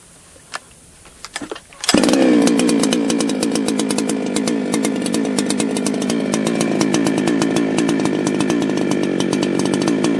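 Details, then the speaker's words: Ported chainsaw, freshly tuned, measured with a wireless tach. After a couple of pull-start tugs it catches and settles into a quick, steady buzzing idle at about 3,000 rpm with no hunting. Normal idle; a later full-throttle pull reads 14,140 rpm. "Alright man, that's taking a look at our Tach here. We had about 3,000 RPM on the idle for that one."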